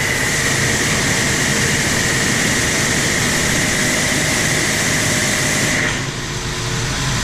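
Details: Landa VHP 5-3000 propane-fired hot-water pressure washer, after repair of no-heat and shutting-off faults: steady even burner roar with a constant high whistle, then a clean drop-off when the trigger is released; fires and shuts down normally.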